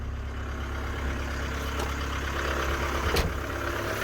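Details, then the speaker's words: 1993 Ford Transit camper diesel, was losing power with heavy black smoke, after EGR-related repair: starts easily, steady low rumble with even running and no misfire; normal healthy idle. "this also should start so much easier now these things start so nice look at that beautiful"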